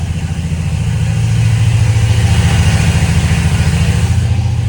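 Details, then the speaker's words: 1996 34 ft Bayliner yacht with twin 5.7 V8s, one engine started with water valve on and blower running: steady even low rumble, regular firing, no knocks or misses; normal idle. "we got a running motor on that side. So, we'll go ahead and shut this down."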